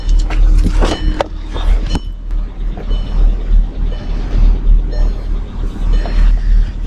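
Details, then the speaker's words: Kia Sedona bought at auction at a low, lumpy idle: uneven beat of about three pulses per second that stumbles now and then. The scanner shows a cylinder 3 misfire and the owner feels it may be overheating; rough running, cause not confirmed. "Se lo voy a poner por curiosidad, pero siento hasta que el motor está cancaneando y sobrecalentándose."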